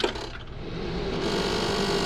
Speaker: Might see what's causing that rattle. See if I can, might just be a loose screw somewhere.